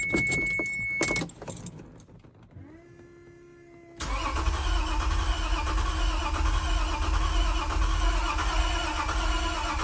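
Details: 1993 Toyota MR2 SW20 with swapped 2GR-FE V6, first start after install, clutch in: door chime, then starter whirring steadily for several seconds without catching, seeming close; crank no start.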